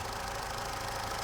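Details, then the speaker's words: Vauxhall/Opel Astra with P0141 code, battery/engine light and cutting out: steady idle broken by an occasional uneven beat, a cylinder misfire at idle before warm-up, cause not yet pinned down; mic held closer to engine. "there is definitely a fish bite missing there now so we're not out of the woods yet"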